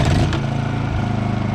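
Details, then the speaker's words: Honda EU2000i companion inverter generator, about 100 hours, formerly wouldn't run from neglect, restored with a new carburetor: quick catch on starting, then an even, steady pulsing run with no stumbling or hunting; normal start and run. "And we've restored it with a new carburetor for $29, and runs like brand new again, and it's only got 100 hours on it, so you can see it was probably pretty abused for those 100 hours."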